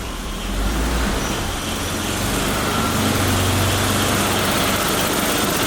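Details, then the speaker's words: BMW E34 barn find, sat 10 years, cold start after replacing a leaking fuel line: uneven, loping, stumbling idle with a hiss underneath; holds with a little throttle. Rough idle pointed to a vacuum leak at the idle valve boot; owner also suspects idle air control. "finally this thing cold starts so rough"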